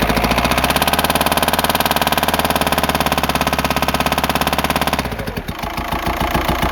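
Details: 2004 VW Jetta TDI PD diesel idling: fast hard rapping over the clatter from a failed camshaft, not an exhaust leak, worsening over weeks until it lost speed on highway grades.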